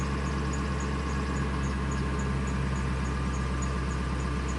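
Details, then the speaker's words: 1999 Ford F250 5.4L after EGR valve replacement to fix surging/rough idle, DPFE around 1 volt, warming toward closed loop: smooth steady idle, low even hum, faint light ticking, RPM tracking desired RPM; normal idle. "and you see the uh RPM is uh dropping and desired RPM's dropping so they're following each other it's great idling real nice and smooth I like it"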